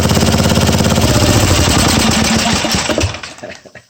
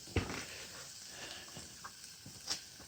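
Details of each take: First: Old Tecumseh 12 HP XL engine revived after a mouse nest and a replacement carburetor bowl: strong, even single-cylinder thumping at a steady fast idle for about three seconds, then it dies away; it runs cleanly. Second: Old 12 HP Tecumseh XL engine after revival, heavily oil-covered: quiet scattered crackles and soft hissing pops after shutdown, oil sizzling on hot engine metal.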